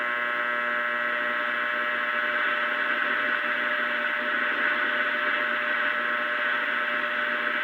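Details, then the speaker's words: Restored Philco cathedral radio during final IF and RF alignment: steady buzzy hum under a dead AM channel, never wavering, could not be reduced; the owner attributes it to mains interference from nearby fluorescent lights. "I can't get it down any, but it is coming in. Remains the same today. It's my fluorescent lights."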